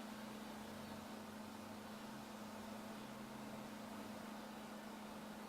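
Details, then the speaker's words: 30,000 BTU natural gas Mr. Heater wall heater in a shop, blower switched on: quiet, steady low hum with even whir, no rattle or scrape; blower running normally. "hardly feel any different to me but you can hear it but it doesn't feel any different than it did"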